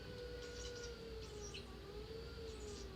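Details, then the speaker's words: Race car cool-shirt pump in bypass mode, with the knob dialling speed from very low to full power: a faint, steady electric hum sliding lower and higher in pitch. The pump runs smoothly at variable speed. "I don't know if you can hear it or not, but I'm messing with the knob. That's pretty cool."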